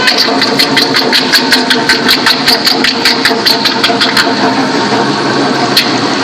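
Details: Toyota Sequoia 4.7 V8 at idle: sharp high ticking at about four to five a second from the front of the engine, from a worn fan bracket idler pulley bearing. It resembles the water pump, which is timing-belt driven.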